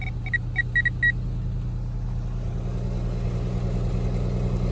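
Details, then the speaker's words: Ford Escape (2004–2011 range) no-start diagnosis, fuel pump driver control module: after a few chirps, steady rhythmic low hum without pulsing or cutting out; normal fuel pump operation. "we come down to our fuel pump and we listen closely we have a steady rhythmic fuel pump it doesn't even sound the same way as the voltage that this is signal sending through there so I know we're good to go"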